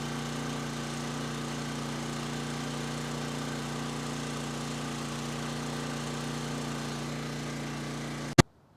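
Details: Coleman Powermate 6250 generator (PM0545007.01) with Briggs and Stratton GenPower 305 10 HP OHV engine, after tune-up and reassembly: steady, even single-cylinder drone, no misses or knocks, then quick cut-off; runs well but wants a little choke with this carb.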